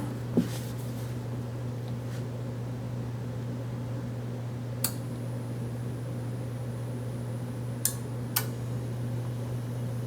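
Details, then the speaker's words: Samsung side-by-side refrigerator compressor plugged in for testing gives only a steady low electrical hum and buzzing without starting; compressor buzzes but fails to start, start relay kit to be tried next. "And I'm going to go with no. That should have been, I can feel a buzzing."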